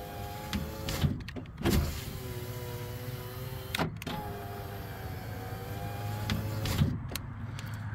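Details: 2013 Toyota Highlander window after refitting the loose regulator bolt with threadlocker, previously popping loudly when rolled down: smooth steady motor hum as the glass travels, soft stop thumps, no popping; normal operation.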